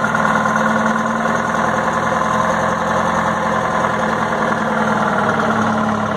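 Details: 1960 Detroit 4-71 two-stroke diesel, ex-generator engine said to have only test hours: a steady, even drone with no misses, knocks or surging, a strong healthy run; owner notes a little smoke at low rpm.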